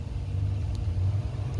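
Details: LG French-door refrigerator freezer after the noisy fan motor was replaced: only a low, steady hum with no rattle, ticking or scraping; normal freezer fan running.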